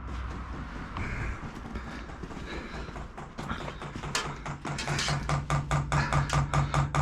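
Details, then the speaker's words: Chinese diesel air heater on trailer, priming mode with air in fuel line and filter: steady light ticking about two per second, dosing fuel pump priming normally. "it says h on and you'll see the little symbol of the fuel pump kicking and it's going to start tap tap tap tapping"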